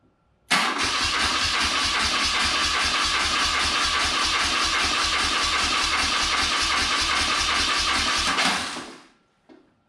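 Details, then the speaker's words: Circa 1983–84 BMW R65 twin, first start attempt with starting fluid sprayed in the left side: steady starter churn about three or four beats a second for eight seconds, then a lone pop backfiring out the right side. "Interesting. Little backfire out of this right side. Let me go again. I'm going to modulate the throttle a little bit."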